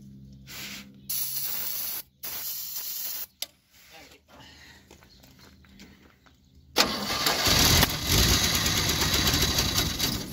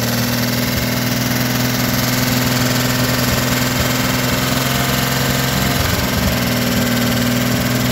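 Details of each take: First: 1957 Chevrolet 210, first start since 1991 on starting fluid with no fuel supply. Several short cranking bursts, then it catches and roars at full throttle, going back to half throttle. Engine firing briefly on starting fluid. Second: 1957 Chevrolet 210 V8, revived after sitting since 1991, idling on a rigged gravity-fed fuel bucket to the carburetor. Steady, fairly even low burble with no knocking; it keeps running fine. Normal idle.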